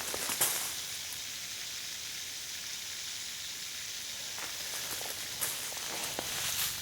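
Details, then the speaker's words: Backyard drip irrigation system, water turned on, hunting what sounds like two leaks: steady high hiss of water rushing with faint ticks, no low end; actually a bubbler passing far too much flow. "it sounds like I I'm hearing two leaks and I'm not sure where they're at"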